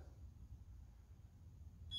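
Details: Continental O-200-A, LH magneto being installed and timed with a buzz box clipped to the P lead: near silence, then a steady high buzz cuts in sharply as the magneto is twisted counterclockwise, marking the moment the points open.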